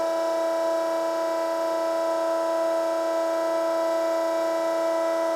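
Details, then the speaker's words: Three-phase electric hydraulic welding turntable run from a VFD: steady pump whine with even tone, rotation still weak because hydraulic relief pressure is set low. "it's kind of weak. I'm sure this is very low pressure, so crank it a little bit more."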